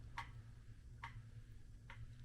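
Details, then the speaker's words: Ceiling fan with tight globes, bulbs and fittings makes faint, sharp clicks about every 0.85 s over low hum; ball-and-socket hanger ball shifted or worn a groove, fixed by twisting the fan housing slightly to reseat it. "This fan, like all fans, it hangs like a ball and socket. And sometimes it gets out of place, or maybe it wears a little groove. So just by twisting it just a little bit, it resets and reseats to where it doesn't make the noise."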